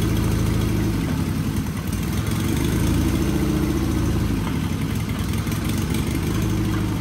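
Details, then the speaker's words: Sears Craftsman FF24 engine at first start-up after removal and an oil pan gasket replacement. It runs lumpy and uneven with a wet gurgling sound while oil sprays out under pressure. Rough, unhealthy running. "you hear that gurgling in there and you see all the oil spraying on me yeah that's not good so we do have pressure coming out of that fired right up though didn't sound good"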